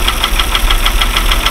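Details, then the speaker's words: Mercedes W126 at idle, with oil pressure normal and temperature at 40, listened to at the rear of the camshaft with a listening tool. Sharp, even ticking rattle at about six per second from worn camshaft bushings, with the first, most-loaded bushing implicated. "короче под разбитые втулки на распредвале и распредвал здесь брякает раре брякает опять же там сзади"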